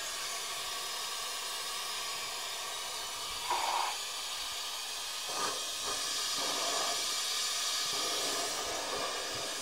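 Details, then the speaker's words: 3D-printed venturi eductor on about 20 psi shop air, extracting oil from cylinders of 2013 Mitsubishi Fuso FG engine: steady high airy hiss with louder sucking bursts when pressed to hole; normal venturi suction. "Seems to me it's doing exactly what we wanted it to do. Such a simple little device and it works so well."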